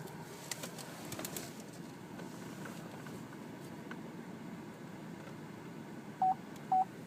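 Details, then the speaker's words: 2012 Chevrolet Traverse AWD LT with ultrasonic rear park assist, reversing near an obstacle after the parking sensors were reset and recalibrated: three clean mid-pitched beeps about half a second apart, a normal rear park assist warning. "hear that beeping and you can see how close I am to it that's the parking sensor there"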